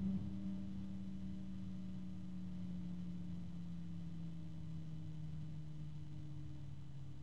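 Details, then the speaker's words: ASUS ROG Strix XF120 PWM fan being switched off beside a Noctua fan, both rated at 22-point-something dBA; ASUS lower-pitched: one tone sliding lower as it slows, steady even hum from the fan left running, normal fan running. "I don't know it's kind of hard as far as like actual volume to decide which one is louder because the Asus has a lower pitch than the noctua"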